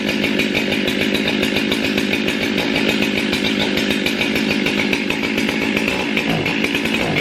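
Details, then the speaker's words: Chainsaw warmed up, crisp rapid two-stroke buzz holding steady at high speed; runs strong once warm, slightly sluggish from the carburetor when first started cold; chain rakers too low. "This saw right here runs really good once it gets warmed up. It's a little bit sluggish when, and that's just a carburetor on it when you first crank it up. Once it gets some heat in it and the cylinder on it, it does really good."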